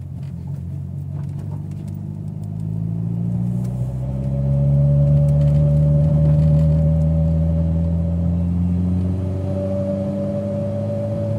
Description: Building boost and its a loud humming/howl noise